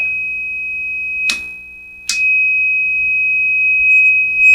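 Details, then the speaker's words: 1949 Silvertone Model 8004 AA4 AM radio under restoration, a loose connection suspected: a clean, steady high tone through the speaker apart from two brief crackles; the output stage passes signal again. "It works. It's just must be a loose connection on that."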